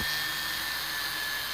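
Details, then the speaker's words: Jewelry flex-shaft motor rated 18,000 rpm, running at roughly half speed (about 9,000 rpm): a steady high whirring hum with a constant tone and no wobble or grind. It runs smoothly. "So if you listen, that is, I'd say, roughly around about half from that."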